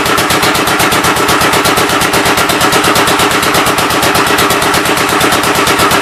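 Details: Old engine's first start attempt on a temporary coil ignition: loud, fast, steady chuffing with a sharp crack on every firing and no smooth idle. The intake valve seems to be leaking but is not hanging open; the owner plans to remove the head and lap the valves.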